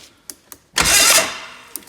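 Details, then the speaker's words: Old fuel-injected four-stroke snowmobile after 30 days underwater, oil drained, spark plugs pulled, on jumper pack: short free-spinning starter whirr without compression chuffs, then stops; engine rolls over freely, not seized. "we pulled the spark plugs out of it so it was easy to roll and the nice thing was that it actually did roll"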